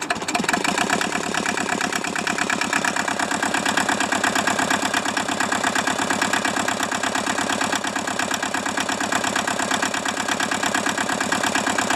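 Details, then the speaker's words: Hinomoto tractor diesel at cold idle with steady, hard clatter near three knocks a second just after a cold start in the 40s °F; previously stuck engine, owner suspects low compression, weak glow plugs or poorly spraying injectors, unconfirmed. "that was a cold start like i said this thing may be down on compression we don't know um glow plugs could be half working or you know our injectors may not be spraying well"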